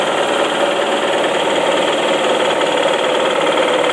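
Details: 2004 Saab 9-5 Arc automatic wagon, 114k miles, Mobil 1 changes: steady idle with dull, uneven knocking that dies down at higher rpm and with HVAC off, seemingly from the oil pan area; no leak or warning light. Owner suspects loose rod bearing.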